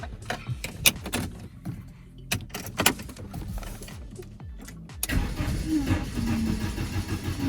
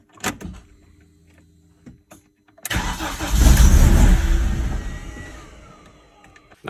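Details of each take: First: BMW E46 compact N42/N46, sold car returned, neutral with handbrake, codes P27C1, P2781, P2782 for intake, exhaust and master camshaft: a few clicks, then steady cranking for several seconds without firing. Crank no start; later found out of valve timing. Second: BMW E46 Compact N42/N46 after retiming; crank no start with codes P27C1, P2781, P2782 caused by skipped timing from an under-torqued crank bolt: brief crank, clean catch, rev-up, smooth idle. Normal start.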